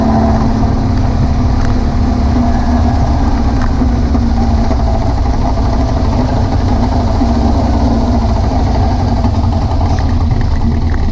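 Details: VW air-cooled beach buggy with Prowler body, after new plugs, leads and distributor arm: deep, lumpy idle with an uneven, stumbling beat; the misfire was traced to a blocked idle jet in one carburettor.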